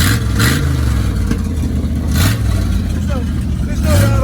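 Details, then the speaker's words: 1979 Ford F-250 Custom, 460 big-block V8, C6 transmission, 132,000 miles, just started after pumping the throttle twice: deep steady rumble swelling cleanly on throttle blips, no rattle or tapping; healthy engine. "no rattle in that cage. There's no rattle in that cage."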